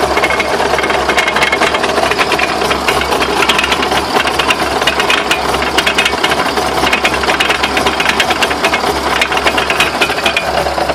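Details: Irregular sharp knocks and rattles through a busy mechanical background, uneven in timing. Owner asks what the knocks are and whether the drive shafts could be bent. Cause suspected, not confirmed.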